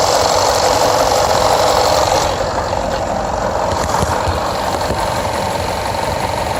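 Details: Jaguar XFR AJ133 5.0 V8 misfiring on the rear bank, cylinders 5-8. Codes P0300, P0306 (always first), P1315, P228F fuel pressure regulator too high, P00C6. Idle with lumpy, hollow stumbling beat about four times a second. Engine misfire.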